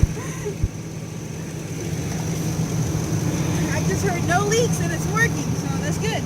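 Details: Truck after replacing leaking water pump, fan clutch, noisy idler pulley, gasket and belt: steady, even low idle hum with no knocks, squeals or belt chirps, birds outside; engine sounds healthy.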